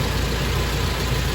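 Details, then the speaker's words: Rebuilt Toyota engine, first start: with the coolant temperature sensor unplugged the ECU read about minus 45 and ran poorly; after plugging it in, a low, smooth, steady idle with even beat, no hunting or misfire, no throttle input; idling properly. "beautiful that actually sounds okay start that first time because uh coolant temperature sensor unplugged"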